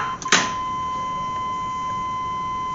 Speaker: that annoying buzzer I hate door buzzers it's like I don't know the doors open right oh hey it stopped